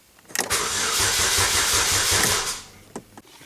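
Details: 2007 Chevy Cobalt 2.2 L Ecotec after serpentine belt replacement: starter spins engine with steady chugging ~2 seconds, never fires, tach reads nothing; crank no start caused by corrupted fuel trim setting, fixed by resetting with scan tool.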